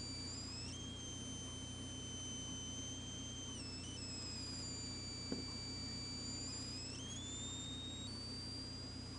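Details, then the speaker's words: Joule thief circuit with a small scrap toroid driving a CFL from about 1.3 V: a thin, high oscillator whine holds steady, then steps down and back up as the adjustment changes the frequency; normal tuning. "what we're doing is we're changing the [Music] frequency"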